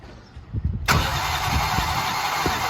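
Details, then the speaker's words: Race car cranked cold after valve lash was zeroed hot at the track: starter spins fast and evenly with no compression pulses, valves hung open; expected to fire and the valves to settle once warm. "so we zero last the valves when the car is hot at the track before we drive so that there's no slack in the valve train and now the engine's cooled off listen to how all the valves are hung open right now so there's no compression"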